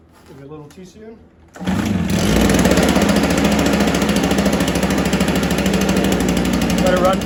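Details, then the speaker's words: A Stihl BR430 backpack blower of unknown storage time catches after a short pull and holds a rough, slightly uneven idle. It had been primed. It only keeps running with the choke on. "for a sec with a choke on I don't know how long it's been sitting for sounds like it wants to run with a choke on"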